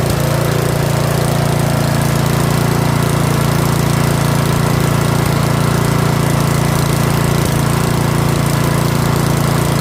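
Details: Curb-find Yard Machines 21-inch 179cc OHV single-cylinder snowblower, after a full-throttle run, throttle a hair above the stop; steady, even putter holding idle without hunting or dying, a normal idle.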